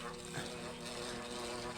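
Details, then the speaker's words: Dusty electric fan on speed three spinning very slowly with a steady hum and little air sound; worn, stiff bushing and shaft needing replacement. "Diyan pa lang alam ko na kung ano yung sira noung bushing at shafting natin. Gusto na nga magpapalit yan."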